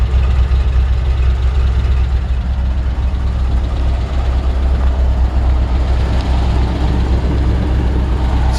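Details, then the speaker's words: 1953 Ford F-100 barn-find flathead V8 with downturned exhaust, idling cold on choke; deep, even, low burbling exhaust at steady idle with no knocks or misses, healthy normal idle. "Nice healthy sounding flathead V8. And it was a little cold. I pulled the choke."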